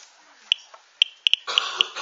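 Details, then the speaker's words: Geiger-Müller counter tube with loudspeaker: sharp irregular clicks, about six in two seconds, faster than the natural background count, as a mildly radioactive material is held near the tube. "man hört es klickt mehr das könnte ich jetzt wieder zählen aber ich möchte mal zeigen was schon etwas stärkere Strahlung ist"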